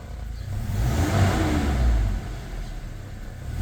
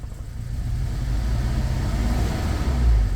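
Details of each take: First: Toyota Fortuner petrol (possibly 2TR) with LPG, after repairing rat-chewed cylinder 2 injector wiring, revving on petrol: two quick blips climbing and falling cleanly, no stumble, smooth healthy normal revving. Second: Toyota Fortuner petrol (likely 2TR), dual-fuel LPG, running on petrol and revving. The uneven, lumpy exhaust stumbles under acceleration with popping. The misfire was later traced to a dead cylinder 2 with a rat-chewed injector wire.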